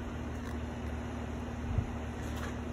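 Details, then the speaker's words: Brand-new outdoor HVAC unit running: quiet, steady low hum with smooth fan whoosh, no knocks or rattles; normal outdoor unit operation. "I think looks nice I think sounds nice now we know what a brand new well functioning unit looks like or sounds like"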